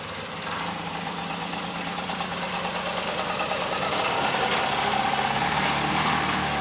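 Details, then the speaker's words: Handmade off-road buggy small engine with a new handmade exhaust: steady even beat of about three pulses per second, rising slightly, no knocks or rattles; much smoother than before the change; normal running. "വണ്ടി വളരെ സ്മൂത്തായി കേട്ടോ. നമ്മൾ ആദ്യം കണ്ട സൗണ്ടും ഇപ്പോൾ കണ്ട സൗണ്ടും വളരെ വ്യത്യാസമുണ്ട്."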